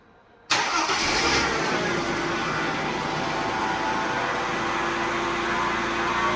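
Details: Mercedes 124 after replacing the leaking fuel pump, now at operating pressure with no leaks, rear muffler leaking: short crank, catches immediately and settles to a smooth, steady idle; healthy start after repair.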